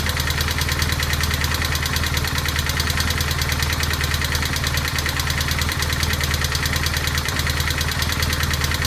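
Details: 1200GS engine at a steady idle with a fast, even metallic clatter riding on top, about three ticks a second. The cause of the clatter is unknown.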